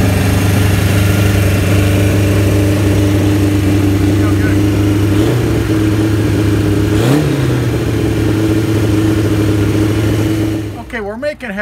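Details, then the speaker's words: 1975 Kawasaki Z1 900 four, 23,000 miles, first run after rebuild with carbs done: fast steady idle with dip near seven seconds; idle too high, carbs to be adjusted down, charging system not working (stator or regulator rectifier). "then we're going to pull these curves down a little bit and make some adjustments so we get it to idle down"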